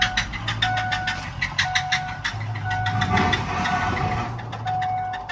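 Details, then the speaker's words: 6.0 Powerstroke diesel, about 400,000 miles, around 700 hp, started after dropping lifter and wiping cam, metal chunks found in oil filter; sharp metallic knocks repeat through running; rod knock from spun rod bearings. "Oh, that sounds so bad."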